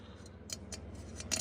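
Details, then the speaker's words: Ford truck transmission rebuild, clutch drum ("garbage can") bore: short rasping scrapes as a fingernail drags over worn ridges where the clutch plates hang up, causing gears to bang in or not engage. "There get some ridges in there. The clutch pack here hangs up right here on them."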